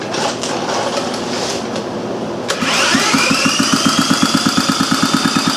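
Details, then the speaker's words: Old Briggs & Stratton Model A single-cylinder engine, carburetor not yet serviced, started after priming with a little gas; a pop on start-up catches into a steady, even chug of firing pulses. Normal running. "yeah she's gonna run alright I'll keep you updated as I go along"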